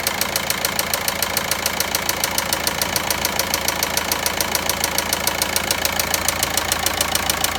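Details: Volkswagen Passat 1.9 engine at steady idle with crisp, regular tapping at roughly three and a half per second on top; engine knocking, cause unknown.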